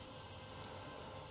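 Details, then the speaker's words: Commodore CDTV computer with new replacement cooling fan, which replaced an old fan that sounded like a little tractor; steady, even airy hiss with slight wind noise, no rattle; normal quiet fan running. "So I got this new fan. Let's take a look and a listen. Yeah, that's much more silent,"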